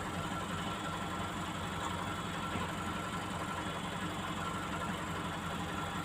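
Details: Komatsu PC200-8N1 excavator diesel, hard starting caused by leaking fuel relief valve on damaged common rail: even settled idle, steady low rumble, no misses, knocks or hunting; idling normally.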